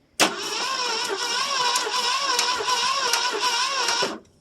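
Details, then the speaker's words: 1968 Mercury Monterey 390 FE two-barrel, sitting about 20 years, first crank with gas poured on the carb. Starter cranks unevenly, lumpy, some strokes weaker, never catches; owner suspects stuck valves, points look dirty: uneven cranking. "sounds a about like it's got a bunch of stuck valves so that's that's handy"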